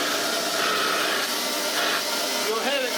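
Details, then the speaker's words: Restored Hoover Junior 375 vacuum with new bearings, running with a fairly full genuine bag and then with the bag removed, no change heard: steady strong whoosh of air, even motor tone, no rattles or pitch wobble; motor healthy. "If I take this bag off because this bag is a bit full. There's no change."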